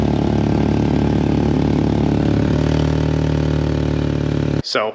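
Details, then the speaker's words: Mk4 VW 2.0 wagon idling on jack stands: loud, even idle with a hard raspy edge; exhaust leak at the stock resonator, not the downpipe U-clamp, louder on the highway. "as it turns out, that U-clamp is fine. The stock resonator, on the other hand, is really leaking."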